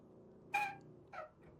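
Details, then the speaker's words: Antique Doll 360/3 ship's steam engine, unused and partly seized for years, turned slowly by hand: short high squeaks from dry moving parts that just need oiling, not seized; penetrating oil to be applied. "Hear it squeaky. It just all wants oiling. So it's not. That's not seized."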